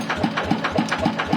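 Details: TF115 engine upgraded to 150, idling before valve adjustment: sharp, even ticking about four times a second, the clatter of excessive valve clearance (loose valves).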